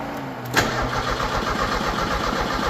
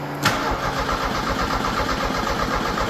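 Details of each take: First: 1986 Merkur XR4Ti 2.3L turbo Ford donor engine, test-fired with no coolant, fuel line off, cranked to build oil pressure before adding fuel: steady, rapid starter cranking that never fires. Cranks but no start, cause unconfirmed. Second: 1986 Merkur XR4Ti 2.3 L turbo Ford donor engine, cranking with no fuel to build oil pressure, out of gear: steady even starter churn, no firing; normal cranking.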